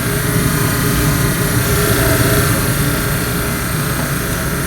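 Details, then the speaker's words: 1954 Mayflower oil furnace burner, about 65 years old, after impeller cleaned with coupling/motor issue (new motor and coupling to be ordered); steady, even roar with low hum, no knocks or scraping; normal burner run. "she sounds so pretty we'll mark like all that sounds beautiful so I'm gonna order a new motor and a coupling and that should fix it for good we've seen that 65 year old beast run like a champ"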